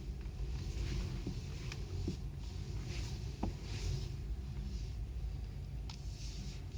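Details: Irregular dull clunks about a second apart over steady road rumble while driving; knock in the steering.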